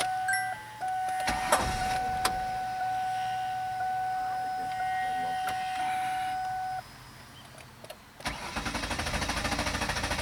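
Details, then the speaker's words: 2000-2007 Ford Taurus/2000-2005 Mercury Sable with a fuse pulled to drain the fuel system before a fuel filter change: a warning chime, then the starter churns evenly about three beats a second but the engine never fires for lack of fuel. "and then you drain your system by trying to start the engine. Okay, so you just let the fuel run out. It's not gonna hurt nothing."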